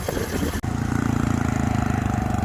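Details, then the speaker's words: Honda CT125 Trail 125 fitted with a 164cc big-bore piston and cylinder and a larger fuel injector, at first start and warm-up before break-in. Brief clatter, then an even, fast single-cylinder idle with no knocks or ticks. It sounds healthy. "Sounds fine. Nice and smooth, no problem. I'll let this idle for about 5 minutes, just getting it all warmed up."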